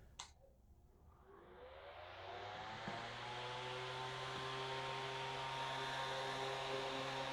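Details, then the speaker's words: Small fan motor that previously only hummed without spinning, after repair: click at switch-on, then smooth hum and whoosh of air building as blades reach speed, running evenly clockwise; normal fan running. "nuestro ventilador está girando correctamente hacia la derecha o hacia las en el sentido correcto de las agujas de reloj y está funcionando a como ustedes lo pudieron ver"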